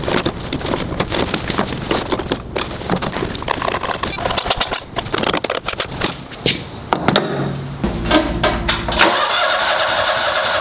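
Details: Toro Wheel Horse 522xi that ran when parked four months earlier, now in fuel system troubleshooting. Uneven cranking with brief sputters never catches into a steady run; cause suspected, not confirmed.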